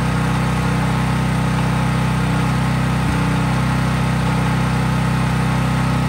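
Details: Craftsman 5000-watt generator outdoors after a cold start, at full speed with no load (only an LED bulb plugged in): a steady, even drone at constant governed speed, no hunting, misses or knocks; normal smooth running.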